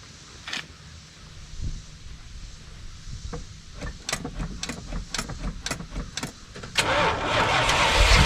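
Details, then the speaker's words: Early-1980s (81–82) Dodge 1-ton truck, sat about two years, gauge on E: several seconds of even brisk cranking with no catch, then it briefly fires and roars on sprayed fluid; no start. "two all right so we've got the fire a couple times but only on what I've dumped down his throat so I noticed that it shows that it's on E"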